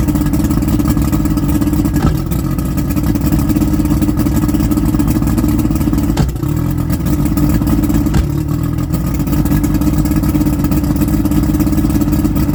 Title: Rough Idle